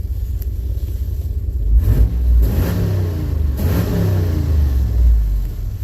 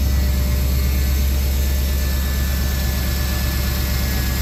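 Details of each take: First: Firebird after about four months in storage, running before leaving storage: deep rumble with quick blips picking up cleanly and settling; throttle response crisp, seems a lot better; owner suspects an exhaust leak. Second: Firebird being prepped to come out of storage, idling low and steady with a faint light tick that is not clearly valvetrain or exhaust; owner suspects a sticky injector, maybe a pulley (possibly AC) or manifold leak; unconfirmed.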